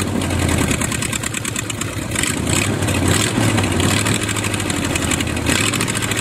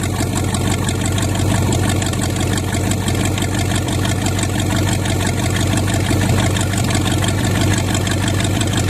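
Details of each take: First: Used Chevy 350 small-block V8 on an engine stand, first run after purchase: uneven, lumpy idle that stumbles and surges; carburetor top off shows dirt inside, idle circuit tubes likely plugged, thorough carb cleaning needed. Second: $200 used Chevy 350 small-block V8 on an engine stand, just cold-started: deep, steady idle rumble, even firing with no knocks or stumbles, little smoke seen; running well.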